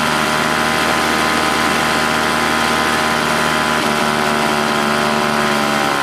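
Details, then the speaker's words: Old Toro S-200 snowblower two-stroke, hard to start when cold: loud steady buzzing fast idle with slight uneven wobble, lean and hunting; owner says primer sounds like it's looking for gas despite plenty in tank, suspects carb diaphragm; rough running. "primer kind of sounds like it's looking for gas but it's not getting any plenty of gas in it"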